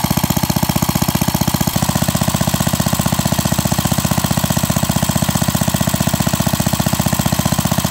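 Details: Pre-WWII Briggs & Stratton model WM single-cylinder after rebuild (0.010" oversize bore, NOS piston and rings), running nearly an hour, breaking in: steady even beat at constant speed, no knocks or misses; healthy.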